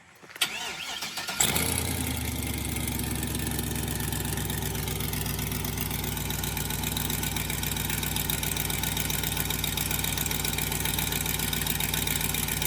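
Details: Crown Vic after a replacement 4L60E transmission and a rerouted power steering return line to fix a leak: engine catches after a brief crank and settles to a steady, even idle with no squeal or belt chirp.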